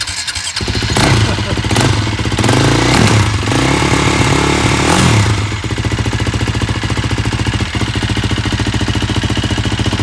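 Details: KTM 450 SX ATV quad after repair of bad wiring and a safety switch: single cylinder thumps steadily, picks up with throttle blips, then settles to an even idle; runs properly now.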